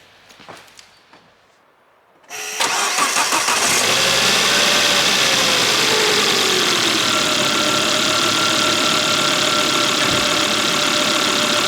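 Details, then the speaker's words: Volvo (S60/S80/V70/XC70/XC90 family) after replacing the serpentine drive belt and belt tensioner, fitted because of a noisy tensioner pulley: quick crank, catches at once, smooth steady idle with no squeal or chirp; normal start and idle. "Så där. Ja, det här funkar ju jättebra."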